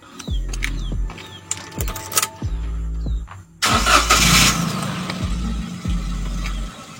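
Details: Daihatsu Ayla with a constantly sounding alarm, dead remote and no start, started after pulling the alarm fuse to put the alarm in manual mode: short crank, then it catches and settles into a steady idle; normal start.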